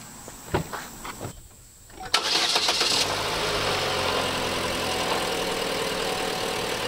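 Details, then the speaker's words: Car after replacing coolant temperature sensor and thermostat to cure radiator fan running full blast from cold start, coolant refilled and bled: cranks, catches cleanly, settles into steady idle with no fan roar; fixed. "She's fixed, baby."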